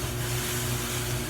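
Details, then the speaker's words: GE front-load dryer after repair kit (drive belt, upper bearing assembly, four drum glides) installed: steady low motor hum with soft swishing rub pulsing about twice a second; new rubbing located at the glides, cause not confirmed. "you hear that rubbing this didn't happen before and it's and it's coming right here where these glides are you can see it is writing on the glides"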